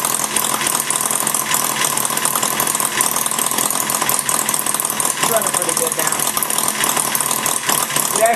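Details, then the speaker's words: Maier TA4 model engine after tuneup and carburetor cleaning, warming up with some load on the flywheel: fast, even buzzing run with a steady rapid firing rhythm, no misses, running smoothly. "runs a little smoother once it warms up with a little bit of load on the flywheel"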